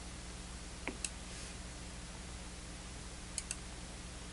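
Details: Relay clicking on a Zotek ZT-703S handheld oscilloscope/multimeter during auto-ranging on a 2 kHz, 2 V signal: sharp relay clicks in pairs as it hunts ranges without settling; auto function mishandles the offset.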